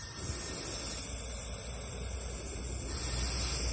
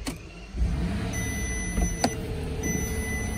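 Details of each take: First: 2015 Bentley Continental Flying Spur with failed air suspension: air strut filled with air hisses steadily and hard, louder toward the end; leak traced to the air strut, where only a small rubber seal had failed. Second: 2015 Bentley Continental Flying Spur with broken air suspension, key on, raise/lower and shock buttons held, engine not yet started: warning cleared and compressor kicks on with steady electric hum and thin high whine; compressor running normally.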